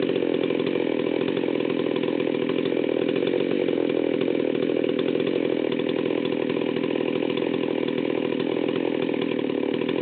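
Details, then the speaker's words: Stihl 038 Magnum chainsaw, fully assembled, low-speed needle backed out far too rich: low, lumpy burbling idle that barely hangs on, nearly dying; leaning the needle brought idle up to about 2,900 rpm. "okay so I had the needles backed out way too far when I started this up and you can see it was pretty much dying right off the bat"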